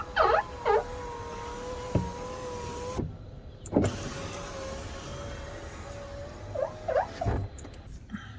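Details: Porsche 996 C4S power window after WD40 was sprayed as a suggested short-term fix, which had no effect: the window motor whirs up and down with sharp rising and falling squeaks, with some binding. Squeaking window, cause not confirmed.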